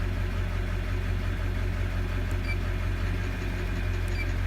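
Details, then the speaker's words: 2001 Chevrolet Duramax 6.6 diesel idle with number 6 injector disabled by scan tool: steady, rough-edged idle with the tapping gone, confirming injector 6 as the faulty tapping source; balance rate -7.1, out of range. "So we're gonna disable it one more time. And again, this is to confirm the tapping coming from injector number 6."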